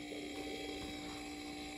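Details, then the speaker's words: Curbside mini fridge after start relay replacement: the compressor starts right up and runs with a quiet, steady hum and a soft refrigerant-flow sound. No clicking, and the overload has not tripped, so it is running normally. "and then we'll plug it in and i don't know if you hear that but the compressor started right up and it is currently running and i can hear refrigerant circulating"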